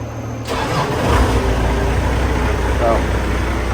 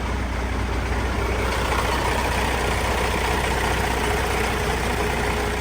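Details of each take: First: Gehl telehandler diesel, first start after a new low-pressure fuel pump and a starter rebuild, primed for about a minute: it fires almost instantly and settles into a steady, even idle, with a slight miss only in the first few seconds. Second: Gehl telehandler diesel at first fire after a new low-pressure fuel pump and rebuilt starter, primed about a minute: a slightly stumbling idle at about 150 pulses a minute for five or six seconds, then it settles as air purges from the fuel.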